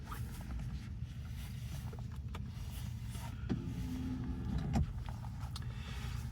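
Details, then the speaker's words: Audi S5 Coupe, standard and unmodified, about 64,000 miles, cold start: the engine comes down off fast idle quickly into a low, even rumble with no misses, knocks or ticks and no warning lights. Running as it should. "And just coming down off fast idle. There you go. Quickly into a smooth idle. No warning lights on. Running exactly as it should do."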